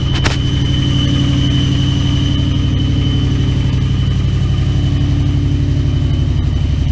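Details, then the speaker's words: 2001 Toyota Tundra 4.7L V8, hard cold start at -12, fast idle around 1500 rpm: loud, raspy low rumble with hollow puffing over belt whine from an unrepaired leaking exhaust; owner needs a new exhaust system. "i gotta hold my exhaust i haven't fixed yet gotta get a new exhaust system"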